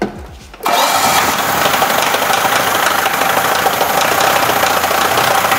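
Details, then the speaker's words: Engine running loud and ragged with uneven thumps, close to stalling, after a bearing ball, spark-plug ceramic fragments, screws and other debris were dropped into the cylinders through the plug holes; rough running from debris in cylinders. "а пока вот и двигатель на последнем вздохе гостя глуши его а то он сейчас сам заглохнет"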